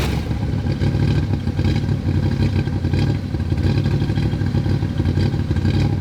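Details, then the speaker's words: 1963 Corvette split window V8 first start after sitting: deep, even idle with a light busy clatter on top, steady and not hunting; normal idle. "absolutely uh blown away um to hear it start up and run again and and smell it and it's just um i can't thank you guys enough this is awesome"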